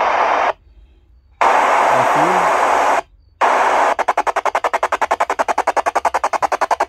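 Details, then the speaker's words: Sony ICF-SW30 shortwave radio, audio adequate but no capacitor fault; plenty of loud hiss but no station comes through while tuning; failed crystal diode in the oscillator circuit, possibly blown by external antenna near a strong local station. "and this radio has a enough audio but cannot tune the station and this one doesn't have a capacitor problem"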